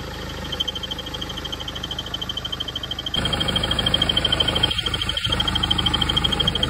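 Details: BMW 320d F30 N47D20 diesel at idle: a rapid, regular high chirp about three a second, louder when the A/C compressor engages; belt, water pump and tensioner replaced without success; a worn crankshaft pulley/harmonic balancer was the cause.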